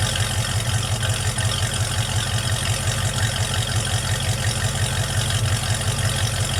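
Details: Project truck on a warm start after a vacuum leak fix, with the frame, exhaust, back end and intake redone: steady, even low idle with a regular pulse and no misses or hiss. Runs better.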